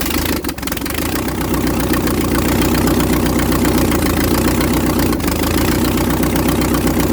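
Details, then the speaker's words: 1956 International R180 with a junkyard 454 V8, first start, open exhaust. A loud deep burble settles into a steady even idle with no misses or knocks. No smoke; sounds like it's hitting on all eight: normal idle. "I mean Jesus there's no smoke at all it sounds like it's hitting on all eight which really shocks me"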